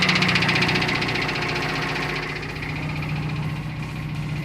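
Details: Built 400hp Subaru Outback XT on quick jacks, intermittent noise over 2000 miles: steady knock about four per second at idle from the drivetrain, not the engine; owner suspects front diff, will check flex plate for loose bolts.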